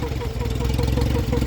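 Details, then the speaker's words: Turbo Corolla project hot at idle after a drive: a fast, even sucking pulse over a steady idle as the electric fuel pump runs dry; owner believes it empties the bowl near 6–7 psi boost; fuel pump running dry. "it's that fuel pump oh fuel pump oh just sucking here yeah put your finger over finger over just running dry yeah that's it yeah that's it running dry it's like wearing itself out cuz it's hot not getting need some lube"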